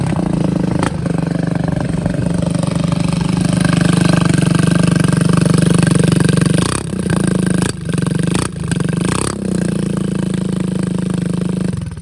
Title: Suzuki 50cc moped CHOI NORI . rusty exhaust leaking condition